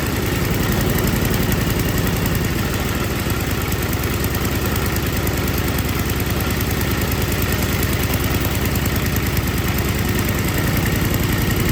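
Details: Older MTD Yard Machines snow blower with Tecumseh 5 hp engine that would not start, after carburetor was put back together and gasket found falling apart; even steady putter at about three firing pulses a second, no misses or surging, normal idle.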